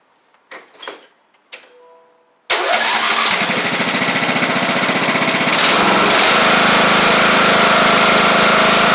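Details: Craftsman LT1000 Briggs Intek mower after drilling the replacement carb's undersized jet out a thousandth: a few handling clicks, then it fires instantly and settles into a steady run, picking up speed cleanly. It runs well.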